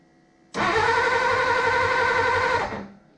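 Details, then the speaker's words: 1939 Hudson 112 Brougham, long-stored, first start attempt: starter whirs steadily and the engine spins over but never fires. No spark; corroded ignition points suspected, possibly slow timing. Crank, no start. "No spark there. This has been setting for a while, so the points could be a little corroded, to be honest with you."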